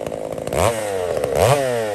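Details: Poulan 655 chainsaw cutting cedar firewood, carburetor deliberately richened after seeming a little lean, to be leaned out later; revs up twice from idle, blipping and falling back with a soft, burbling top end: rich mixture.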